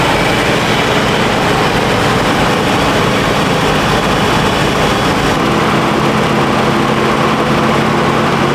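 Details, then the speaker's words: 1951 Chevrolet half-ton truck, carburetor rebuilt again after stuck power valve freed, one idle port still possibly stuck: uneven droning run then sags and stalls leaning out; needle and seat suspected not letting enough fuel in. "It killed itself. I could tell it was starting to lean out and starting to... It's almost like the needle and seat's not letting enough fuel in, and it takes a while for that pump to push it in."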